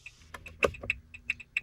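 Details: 2017 Renault Master van: light indicator ticking in an even on-off pattern, a bit under two clicks per second; normal flash speed, heard before the fast hyperflash.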